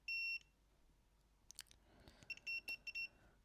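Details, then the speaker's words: Badly damaged PlayStation 1 SCPH-7502 mainboard: a quick handful of short high multimeter beeps testing freshly soldered joints at the test points. Continuity is good and the solder joint is good. "I'm just going to test that with a multimeter as well, using them test points."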